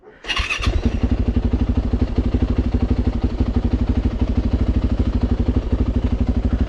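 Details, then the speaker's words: Auction Yamaha YZ450F after fitting new parts, including radiators, first start: the single-cylinder four-stroke thumps at a steady, even fast idle with no knocks or rattles. Sounds healthy. "it's not bad sounds pretty good now"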